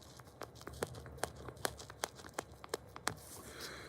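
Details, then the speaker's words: A stiff, fuel-dried rubber part from a chainsaw being inspected gives dry, crackly crinkling snaps when flexed. It is hardened and wrinkled and recommended for replacement. "And as you can see, it's kind of crinkly. It's a little wrinkly or crinkly. So this one, definitely I would recommend replacing it."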